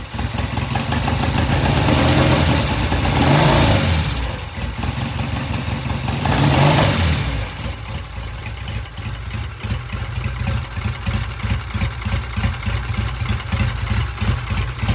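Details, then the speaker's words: All-original 1966 motorcycle after cleaning a clogged pilot jet; it took a dozen or so kicks to start. Two throttle blips drop back to a steady, even idle that doesn't die, with a slight stumble coming off idle: a normal idle. "it started up took a dozen or so kicks we uh cleaned the pilot J the pilot jet was all clogged up once we did that we got it started it's idling now"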